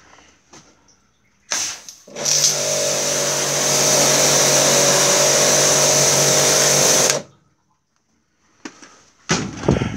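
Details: Karcher K 5.200 pressure washer after repair of a buzzing, non-working fault: motor spins up and holds a smooth, steady hum with even pump hiss for five seconds, then stops; running healthy.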